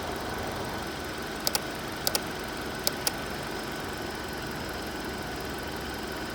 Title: 2020 Hyundai Elantra Ticking Noise